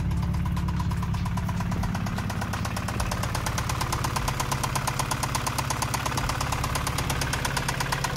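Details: Honda Integra B20 VTEC engine that had run a 75-shot of nitrous, then a different head with about 10 psi boost; sharp, regular knocks about three a second over a rough idle from failed rod bearings; the block was otherwise fine. Rod knock.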